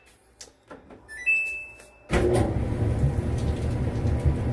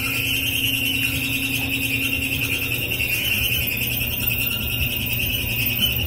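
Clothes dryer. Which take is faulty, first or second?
second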